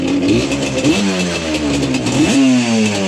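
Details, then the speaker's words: Yamaha Banshee two-stroke with very low compression, slightly warm, ridden. Blips unevenly, stumbling and sagging with a ragged miss at low rpm, running a bit better higher up; bog from stuck top piston rings. "You see, it already started doing it. See? That's what it does in the low RPM. Now, once it gets up in the RPM a little bit, it does seem to run just a little bit better. You can hear there's like some type of miss or something going on with this thing."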